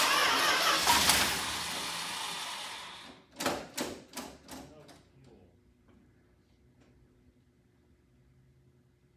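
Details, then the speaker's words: 1967 Plymouth Fury III (383 V8, per tags), sat 15 years, carburetor rebuilt: slow, even cranking without firing; no fuel reaching filter, barely any suction, so the mechanical fuel pump has failed, probably disintegrated rubber diaphragm; pump needs replacing. "so the little fuel pump vacuum pump whatever you want to call it is definitely done with it's probably just the rubber disintegrated in there so it's not pumping anymore"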